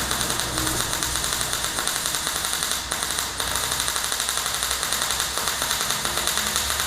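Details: MyMag Mate 150 inverter MIG welder at under half current on a Dyna tow truck project: even fast frying crackle held for seconds, no big pops or dropouts, little spatter; smooth MIG arc.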